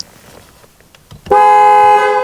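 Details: 2012 Jeep Liberty whose airbag light had been on, after the fuses and relays were checked and the clock spring replaced; engine running: short silence, then a loud, steady two-tone horn blast for about a second; horn circuit now works normally.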